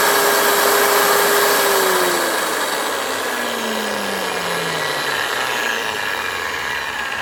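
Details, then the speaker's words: Large angle grinder that had no power, after refitting the carbon brushes, switch still sometimes sticks; clean steady high whine, then pitch falls smoothly as it coasts down — normal motor run. "So gumana siya mga ka-striker, pero ang problema itong switch na, kasi minsan nagdikit siya ito."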